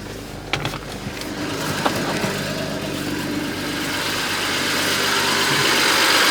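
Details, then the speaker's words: 2010 BMW 535xi, N54 twin-turbo inline-six, check engine light on, just after start-up: uneven idle with stumbles, a slight misfire and rough running; the light rattle is the turbocharger wastegates. Cause not yet confirmed. "but now, well, right now it's kind of got like a little bit of a slight misfire and running rough."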